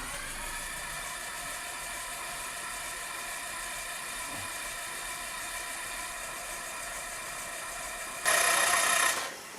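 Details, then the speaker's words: 1962 Piper Comanche 250 that sat for years in a dirt-floored hangar, cranked on the starter with the plugs out, reading about 50. It gives a fast, even, strong whine with no grinding; the starter is very powerful and healthy. "yeah on the starter but it I would say that's probably the fastest spinning starter that I've seen to date"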